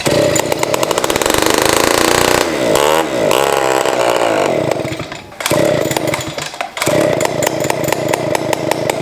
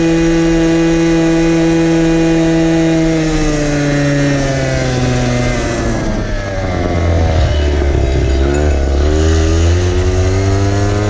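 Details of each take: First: 1970s ARCO 3533 vintage mini bike, small two-stroke running without a muffler: loud, raspy, smoky buzz revving up and dropping back with the throttle, pulling cleanly; sounds better than expected. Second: 1970s ARCO 3533 vintage mini bike, small unmuffled two-stroke ridden at about 10,000 rpm while doing only about five mph: a loud, raw, rattly buzzing scream that sags then rises again, shaking hard at full revs.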